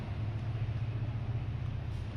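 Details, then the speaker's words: LG top-load automatic washing machine not draining, set to spin with power confirmed reaching the drain motor: low steady buzzing hum that never spins up, motor pulls only halfway and sticks, so it is faulty and gets replaced. "लेकिन motor खींच नहीं रही है। यह आधा ही खींच पाता है और बीच में ही अटक जाता है। इस स्थिति में हमें मोटर बदलनी पड़ेगी।"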